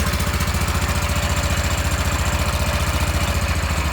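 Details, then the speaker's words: Restored Wheel Horse garden tractor with electric fuel pump, started cold on choke in snowy weather: even single-cylinder thump about two and a half beats a second, steady and unhurried; electrical system wonky but it runs. Normal idle. "the electrical system is wonky but it's enough for it to start and run so that's all i really care about"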